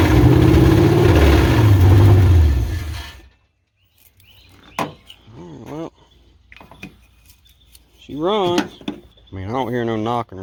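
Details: 1986 Chevrolet Silverado C10 with a carbureted Vortec 350 swap and TH350 transmission, first fire-up on a worn temporary carburetor with timing advanced nearly all the way: a deep, even V8 rumble for a few seconds before it cuts out, no knocking; normal running.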